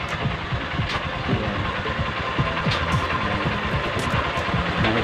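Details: Engine idling right after the broken clutch cable was replaced. Steady, even idle with a light mechanical patter and no knocks or misses, running fine.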